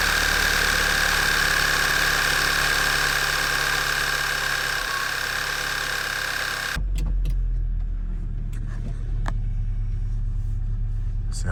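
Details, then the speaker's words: VW mk6 GTI after replacing worn coil packs with APR ignition coils and fitting NGK plugs one heat range colder, codes cleared: starts and idles smoothly with no stumble, misfire fixed. "doing sounds good she purs like a kitten your boy that might be all I needed"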